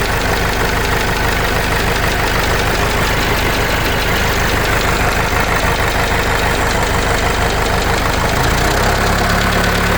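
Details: Case 586E forklift with 4BT diesel, Part 3 after fitting a new oil pickup tube (old one dented): rough idle with an uneven, heavy knock about one beat per second; cause not pinned down.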